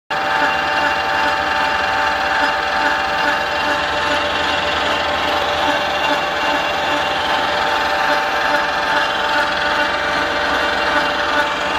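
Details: 1964 Colchester Triumph lathe at 1000 rpm: loud, steady headstock gear whine with a bright singing tone and a faint rapid rattle at constant speed; noisy gearing, fault unconfirmed.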